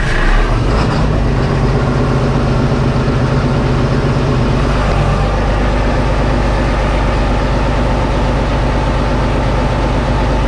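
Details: 8420T tractor during reassembly after planetary housing install, 15 gallons of oil added, started to check for leaks before refitting tracks: steady deep diesel idle, even low drone, no knocks or misses; normal idle.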